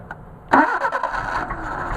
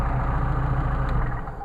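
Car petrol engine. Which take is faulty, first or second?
first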